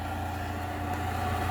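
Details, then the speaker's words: Rover 45 1.8 K-Series CVT after a full engine service (new filters, plugs, oil flush), car jacked up: quiet, steady low hum at idle with no whine, rattle or knock; the earlier noise has quietened, only slight sound when revved. Normal idle. "There's absolutely no noise from this car whatsoever."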